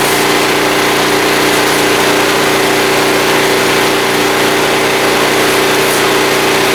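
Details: Small generator running with a vacuum cleaner plugged in as load after fuel system work: steady, even drone at one fixed speed with no hunting, misses or knocks; running healthy under load.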